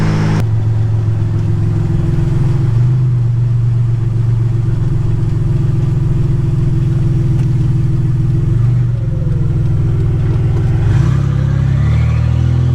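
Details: 1985 Nissan 300ZX Turbo (Z31) driving after misfiring under boost, new spark plugs and wires and fixing vacuum and boost leaks: deep steady exhaust drone pulling smoothly as revs build, rising whistle near end; runs strong under boost, not floored or redlined.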